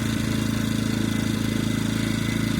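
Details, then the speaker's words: EcoFlow Smart Generator dual-fuel model running on propane: with the regulator mixture screw backed out about one and a half turns, the engine pulses unevenly and starts to falter and die off. This is rough running from an over-lean fuel mixture. "If you go out a turn and a half or so, it'll start to kind of die off. Then, you hear that? Even worse, it's not running as smooth."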